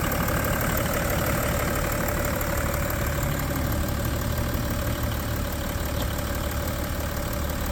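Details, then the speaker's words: 2010 BMW 335d diesel on a cold start, with emissions equipment removed and tuned: even, steady diesel clatter at idle with a few revs, no misses, knocks or surges; idles normally. "okay give it a little revs [Music] that sounds pretty good"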